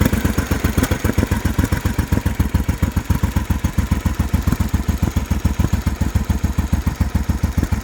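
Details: Motorcycle with a rough, low idle and misfire: low lumpy uneven exhaust pulses with an occasional stumble. The owner suspects the AIS, as the idle stabilises when the pipe to the AIS is pinched.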